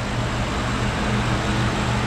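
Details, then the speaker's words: Ford 5.4 V8 truck after timing chain guide replacement idles with a steady, even low rumble, with no rattle, ticking or oil leaks: normal idle. "all right so now we're not spraying oil out anywhere which that's a good thing and we're not making a whole bunch of rattly racket so good"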